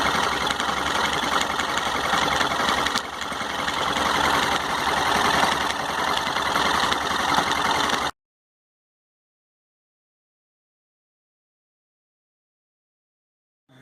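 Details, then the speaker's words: Yamaha XT 660R cold at idle, microphone at the clutch side (noise worse when hot, began after a minor collision): harsh, rattly grinding clatter with an even beat from the clutch area; a bearing inside the engine had broken up. "Barulho no motor da XT 170 quando o motor tá quente, ela tá fria agora. Não vou deixar esquentar muito, mas dá pr ele escutar. O barulho vem daqui, ó, da região da embreagem."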